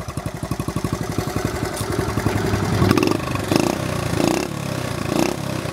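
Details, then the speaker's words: 1970 Honda Trail 70 idling off the magneto without battery, baffle still in exhaust; even low idle thumping then a smooth faster beat with light blips, clean, normal idle. "she's running right now off the magneto I think the battery you only need a battery if you're going to run the lights but don't quote me on that"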